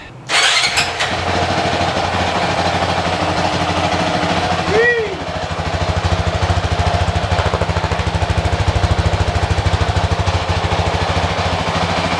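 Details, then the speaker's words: Honda CRF450X 2023 with only a thermostat delete kit, just fitted with a Vortex ECU on the stock-exhaust map (map 5), fires up quickly and settles into a steady, even single-cylinder idle with a brief blip; normal, healthy start and idle. "Well, she's running. She's alive again. Woo! Feels good, sounds good."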